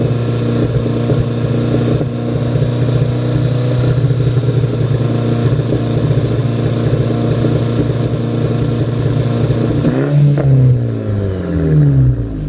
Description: Misfires while stationary under part throttle. APR K04